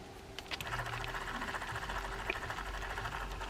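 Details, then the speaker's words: Kolkata 200 B-series H fishing reel spins freely but makes a fast, fine whirring chatter with a light scratchy patter. The odd rough running noise is suspected to come from the line, not confirmed. "this is a Kolkata 200 it's the B series H that's running right but boy it's got a funny little sound to it doesn't"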